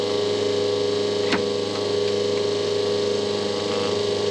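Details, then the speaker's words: Schenker Zen 100 Touch watermaker on solar power, after air purge with pressurization valve closed: steady electric hum as the high-pressure pump builds system pressure, reading 6 bar, heading to 6–8 bar; normal. "kay it's nice and tight it's closed and now you'll start hearing the high pressure pump start building more pressure within the system"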